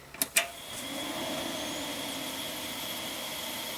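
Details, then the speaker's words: Vintage Pentium II-era Celeron PC's IDE hard drive after its backwards-plugged ribbon cable was corrected: a couple of clicks, then a whine climbs and settles into an even high hum; normal spin-up. "there we go i can hear it now oh nostalgia"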